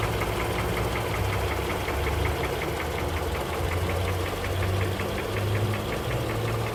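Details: 2007 Honda CR-V 3 with K24Z1 engine, diesel-like knock present for a year, knock rate rising with throttle, cause undiagnosed despite valve adjustments: fast, regular sharp metallic tapping over the idle; engine knock.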